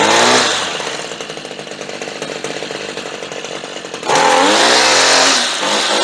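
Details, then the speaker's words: Redmax two-stroke string trimmer that would not start, running after fuel sprayed into the carburetor and spark confirmed: high buzzy revs, lumpy idle, clean revving again; runs and sounds good. "Ikke nok med at den kører, det lyder godt."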